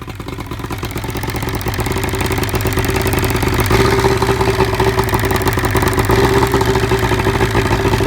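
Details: 1975 Evinrude 70HP outboard idling: uneven, stumbling beat with skipped pulses as revs rise slightly; misfire from spark arcing down the cylinder #1 plug porcelain.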